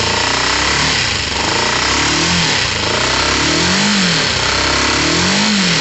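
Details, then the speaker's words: Motorcycle with the air box refitted loosely: a steady, even single-note idle with a couple of light throttle blips that rise and settle cleanly. It runs normally. "that sounds fairly normal to me"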